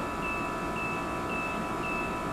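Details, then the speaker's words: VICTUS femtosecond laser during femtocapsulotomy, foot pedal pressed while executing: sharp high beeps about every half second over a steady machine hum, the normal firing tone. "that's when I hit the foot pedal and you'll hear some sharp beeping from the computer as the uh capsulotomy is actually"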